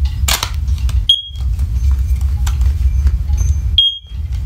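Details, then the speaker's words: First Alert/Ace Hardware OneLink hardwired smoke alarm, first generation, test button pressed: two short piercing tones near 3 kHz over low rumble, lower-pitched and louder than newer units; sounder working normally. "yep see that beep is a lot lower and louder actually"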